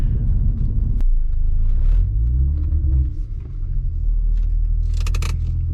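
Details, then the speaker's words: Acura TL / Accord V6 driving after installing 75A solid engine mounts: low steady tyre and road rumble with no engine thumps or buzzing; only road vibration heard, same as with stock mounts, engine feels more solid; normal road noise. "on i don't hear much vibration the only vibration i'm hearing is actually from the road which it did completely stock mounts it does feel more solid like the engine's not moving now so that's definitely good"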